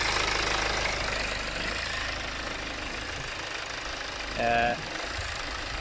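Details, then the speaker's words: BMW 520d M Sport diesel at idle: uneven, hunting idle surging and sagging, with stalling at traffic lights and no fault messages; caused by a faulty fuel quantity control valve. "the only thing is i can see is just a rough idle and it's jumping up and down and i'm gonna mention again it cuts off sometime at the lights"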